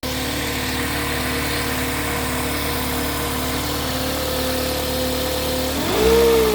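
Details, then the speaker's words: 2008 Toyota Corolla 1.8 XEi automatic, noise began after restarting at a fuel stop: even idle with faint steady pulley-like whine climbing with revs, persists in neutral so transmission ruled out. "Depois dessa parada, na hora que eu funcionei o carro, ele começou a dar um barulho, como se tivesse alguma polia, alguma coisa soprando forte ou um barulho de polia."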